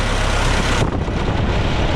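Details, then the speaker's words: D-17 tractor with its gas tank just refitted, untouched engine, at about 30°F with carburetor neck and manifold frosting: a low, steady chugging idle with no knock, miss or rattle and no smoke; sounds healthy. "I don't know how strong it is, but it's not smoking, and it sounds good, and I have not done anything to it."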